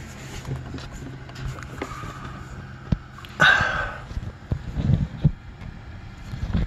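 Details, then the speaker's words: Aftermarket sway bar links, both sides, clunking when cornering: a few dull, loose clunks as the link is rocked by hand with the car's weight on it, with birds in the background; the link is worn out. "with parts from detroit axle and i was getting a clunking noise on cornering and this is what i discovered when i inspected them"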